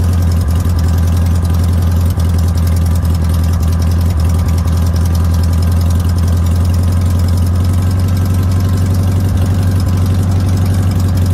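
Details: Air-cooled VW notchback, sitting since June 2020, rebuilt 32 PHN carburettor: deep, steady fast idle with no dips, idle deliberately set high; high idle.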